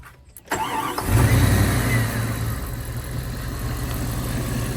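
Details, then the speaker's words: After Idle Air Controller replacement on a 1994 Jeep Grand Cherokee ZJ 5.2L Magnum, the engine cranks briefly, catches within a second and settles into a steady, even idle with no dip or stumble. Normal start and idle; the new IAC was the fix. "Yep, fired right up, no problems. So that was the fix."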